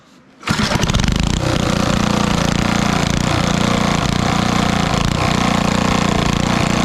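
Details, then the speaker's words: 1964 Wards Power Kraft 110 V 1250 W generator with about 3 hp Briggs & Stratton engine, run on a stand: catches at once and holds a high, even buzz that never drops to idle; cause unclear, possibly no idle circuit. "It doesn't idle, but I'm not sure why it didn't idle at all, unless this doesn't have an idle circuit in it."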